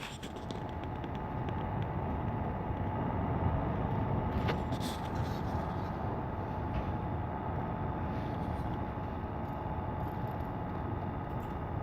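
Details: Alienware Aurora R5 power supply fan, loud because of the panel design, after the metal grid was trimmed off: constant rushing airflow with a thin steady whine; only slightly quieter than before.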